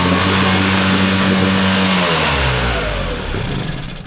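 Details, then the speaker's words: Mercury 9.9 four-stroke outboard, sat two years, fuel cleaner added, carburetor pumped: runs rough with uneven lumpy beat, sags and stalls within seconds, won't hold idle; owner plans to raise idle via carburetor adjustment. "Okay, it's stalled. That's all right. We're making progress."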